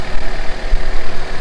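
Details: Honda CRX (ED8) after swapping the throttle body to fix a bad TPS sensor, warming up, no codes: low, even idle with steady firing pulses, no misses, hunting or ticks; smooth, normal idle.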